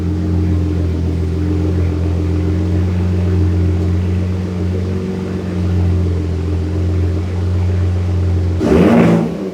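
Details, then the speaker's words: 2023 Ford Raptor 3.5 EcoBoost, PCM-swapped, on MPT E85 tune, cold start after sitting a while with Baja exhaust mode on: fires up cleanly into a steady, even low rumble, no misses or knocks; normal stable cold idle. "Fired up perfectly, sounds great, nice and stable."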